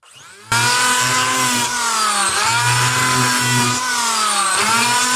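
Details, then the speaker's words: Electric planer after repair, belt reconnected: spins up instantly to steady high whine with even hum, no crackle or stutter; sparking gone, usable again. "yan guys Okay na siya nawala na yung spark niya pwede na natin ito gamitin ulit"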